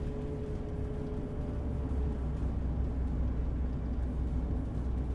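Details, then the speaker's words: Honda EK Civic hatchback after a tune-up, idling: low, steady rumble with an even beat and no stumbles; idles much better than before in drive, reverse and park. "But yeah, I mean, we are rolling. It definitely idles way better than before in drive, reverse, and park."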